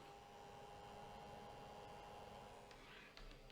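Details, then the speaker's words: New RasPad 3 tablet with Raspberry Pi 4 4GB on first power-up: faint, steady whirring hum with a couple of fixed tones from the small cooling fan, louder than it should be and louder in certain positions; owner plans to open it up. "okay i don't know if you can hear it or not but the fan in this which i was worried about right off the bat is exactly what i thought it would be"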